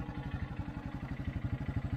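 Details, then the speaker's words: 1984 Honda Big Red 200 three-wheeler, restored after sitting about 25–30 years, with a new battery, a reworked gas tank and a carburetor. Steady low thumping idle at about nine even beats a second, no knocks or rattles; running like a top. "he's got it running like a top"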